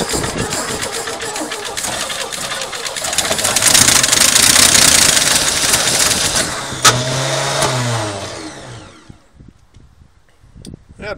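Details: 1972 Chevrolet pickup, sitting about 24 years, first start attempt with fuel primed into carburetor; starter churns steadily about four turns a second but never catches, no smoke; cranks but no start.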